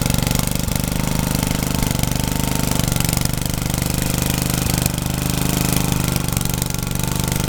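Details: Rebuilt Troy-Bilt tiller tilling: single-cylinder pulls steadily, beat dipping slightly as tines bite then recovering, sounds healthy; owner saw heavy smoke under heavy load and suspects blow-by past the rings.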